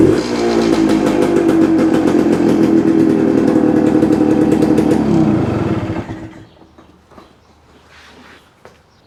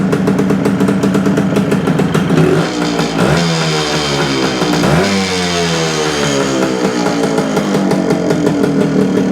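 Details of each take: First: 1972 Suzuki TS250, just acquired, started on choke: strained droning note for a few seconds, then falls away instead of picking up; hesitates coming off idle to eighth throttle, owner suspects a plugged pilot jet. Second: 1972 Suzuki TS250 two-stroke with a fuel delivery problem, after fitting a 170 jet for altitude: revs up and drops back cleanly, picking up quickly with the throttle, no stumbling. More responsive, normal running.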